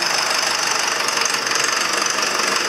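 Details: Diesel engine (the 6200) first run after sitting three years; fast, sharp metallic ticking over steady idle, seeming to ease as it warms and loosens up; engine knock.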